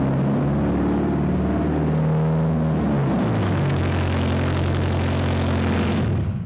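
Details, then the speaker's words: Car with its catalytic converter stolen (pipe cut with a battery sawzall, other side unbolted) starting up: deep, loud unmuffled rumbling roar on startup that eases as revs drop; loud exhaust from missing catalytic converter. "we probably put on 15 or 20 catalytic converters that were stolen from people's cars so what happens is they turn on the key or push the button to start and this is what they hear and sometimes it gets worse because they think oh that sounded weird so they start the"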